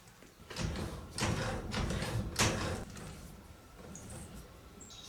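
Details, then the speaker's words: Mini 4WD trophy truck build with the wheel worked to full steering lock on each side, giving bursts of dry scraping as the CV boot rubs; the joint still turns at full lock. "You can hear the boot making some noise, but at full lock, it can still turn. Full lock the other side, can still turn."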